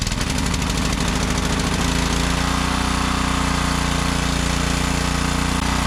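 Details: Ryobi 3200 PSI 196cc Kohler pressure washer after replacing camshaft with old-style decompression part, having had pull-cord snapback on compression stroke despite valve adjustment: engine catches quickly, settles into fast steady even chug, no misses or knocks.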